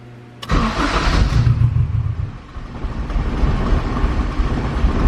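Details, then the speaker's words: Turbo K24 Civic EP3 with the customer's suspect injectors, before any fuel trim was added: it fires, then holds a very low, lumpy, wavering idle and shuts off. Fuel pressure is present but the air-fuel ratio reads very lean. "really low there we go now it's a little better and then it just shuts off"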